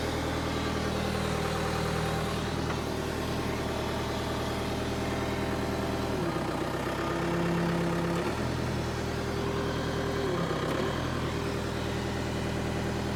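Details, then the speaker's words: Power Trac PT 1850 with a Deutz diesel engine at 168 hours: a steady, even idle that dips briefly twice under hydraulic load and recovers cleanly. The hydraulic plug is open so pressure can't build, and the machine doesn't move; the engine itself runs healthy. "we have a Deutsch Engine with 168 hours that runs now"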